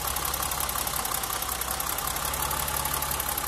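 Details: BMW 325i E30 at warm idle, stethoscope probing front of engine: fast even ticking with high faint whirring, noise seeming to transmit through the alternator body; owner suspects alternator; intermittent cyclic noise, cause unconfirmed.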